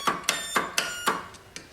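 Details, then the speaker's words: Dynamark lawn tractor recovered from a scrapyard, engine not seized, battery just installed, key turned: sharp repeated clicks about four a second with no cranking; starter solenoid chattering. "okay I got the battery in and I can hear the solenoid clicking"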